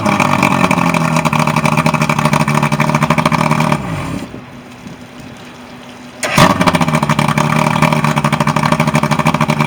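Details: Evinrude 120 outboard on a Lowe boat, during a service drive after a no-start issue: it runs strongly, drops off briefly, then pulls back up to a steady drone underway. Normal running.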